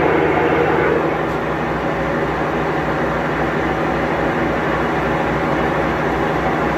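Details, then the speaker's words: Maytag Bravos HE top-load washer in its fastest final spin, lid lock removed and lid propped slightly open, so it would be a little quieter with the lid down; steady, even high-speed whir, no thumping or scraping: normal spin. "be a little quieter with a lid down all the way but we've got that prop that sticks up a bit"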